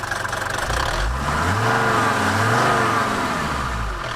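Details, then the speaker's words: Mercedes T1 310D/308D diesel van (OM601/OM602) after a throttle system overhaul and setup: it revs up smoothly, then drops back slowly (helped by the shock) to an even, settled tick-over with no misses or knocks. "So, yeah, that's ticking over nicely."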